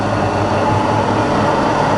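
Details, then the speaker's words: Rebuilt Bridgeport milling machine variable-speed head in high range, swept 2,500, 1,600, 900 down to 450 RPM, then reverse: even rush with faint tone rising as spindle speeds up, no knocks or grinding; just as quiet in reverse, normal. "And we're in high range at the moment. So there's 2,500, 1,600, 900, all the way back down to 450. In reverse now, just as quiet in reverse."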